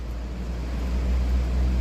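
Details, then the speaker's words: Evaporative cooler (climatizador) fan motor wired directly, with mains phase connected to the yellow wire, the low-speed lead: steady even low hum with no clicks, rubbing or wobble; the motor runs normally at low speed. "Liguei aqui no amarelo, abaixo."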